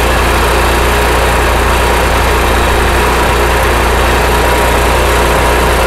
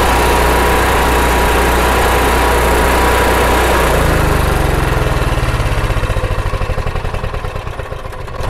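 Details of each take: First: RV generator started with no load: loud engine drone whose speed hunts up and down, worse under load; surging likely from carburetor jets clogged by varnish from fuel evaporated while unused, to be cleaned. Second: RV generator with a surging problem, after removing and cleaning the carburetor main jet and float bowl and fitting a fuel shut-off valve, Sea Foam not yet added: catches, then settles into a steady, even running beat without hunting; sounds better than before.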